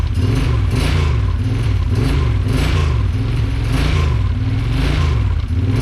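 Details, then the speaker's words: 2008 Kawasaki Brute Force 750 V-twin on its first start after an engine rebuild: a lumpy idle with a tinny rattle riding on each pulse. A loose plate is rattling against the running engine. "foreign that plate is gonna drive me crazy sorry guys but it runs"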